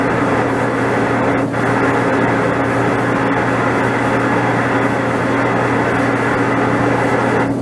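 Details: DE-N35FY clothes dryer making a severe abnormal noise: a loud, steady rumble with a constant drone and hollow hum, the drive running rough. Owner addressed it with belt replacement, disassembly cleaning and oiling; the exact cause is not pinned down.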